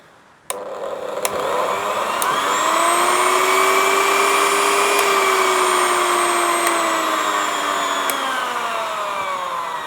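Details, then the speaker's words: Old Philips hand blender/beater run on power-up: motor whine climbs slowly in pitch, holds smooth and even, then eases down gently; very slow to take off but working fine. "actually sounds okay. I like that it winds up slowly and winds down slowly."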